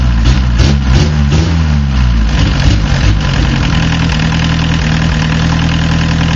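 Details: Diesel car, starts easily but after warming up idles with uneven lumpy beat and periodic stumble as one cylinder drops out; idle and low-rpm misfire, owner suspects a bad injector with poor spray pattern at low fuel delivery.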